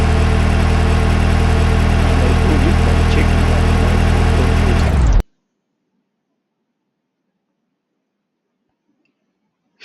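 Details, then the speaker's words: Smooth, even idle after replacing the cylinder 1 fuel injector, which had high resistance and caused a misfire with P0201 injector circuit fault; no stumble or knock, engine now runs correctly. "So I replaced it and the engine now runs correctly."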